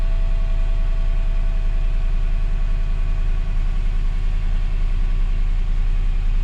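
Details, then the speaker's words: Totaled 2006 Mercedes-Benz E500 4matic V8 wagon with heavy front-end damage, coolant low, gas smell noted: deep steady burble with even firing pulse and no knocks or misses; healthy, smooth idle. "all right guys see it's running pretty good no knocks or anything running pretty good"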